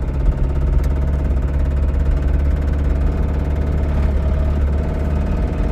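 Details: Toyota Camry with suspected rod knock, driven home; even idle with a faint repeating low knock under the engine note, pointing to a deep bottom-end knock, not confirmed.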